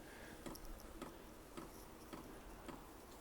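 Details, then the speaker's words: Vevor 5 kW diesel heater first startup: light, steady ticking just under two per second from the fuel dosing pump over quiet fan hum; normal pump clicking, expected to quiet down once running. "heard a lot of people talk about these things the pumps being noisy but to me that's not all that bad and from what I understand they quiet down quite a bit once they get going"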